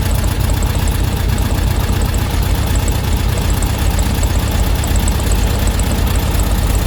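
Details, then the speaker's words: Air-cooled VW Beetle flat-four, warmed up, during carb tuning: loosening the idle screw makes the engine speed up to about 1000 rpm, noticeably fast and busy, too high and wasting fuel; idle set too high. "but you can hear that the engine's starting to speed up a bit you can see it's gone up there as well so that's obviously too fast now that's about a thousand so it doesn't need to be that high"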